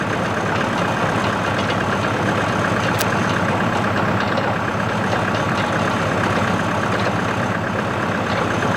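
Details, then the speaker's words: CountyLine PTO post hole digger on a tractor, 12-inch auger in very hard clay, run gently to avoid breaking the shear bolt. Even engine drone under load with no bogging, knocking or clatter. Worked flawlessly, though clay falls back into the hole. "alright guys this thing worked flawlessly it worked really nice the problem here is the dirt I have very hard clay"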